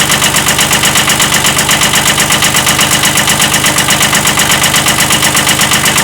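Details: 1979 Kubota B7100 tractor idling: a sharp, regular, hard metallic knock on every turn over the diesel clatter, a slight rod knock from a worn rod bearing.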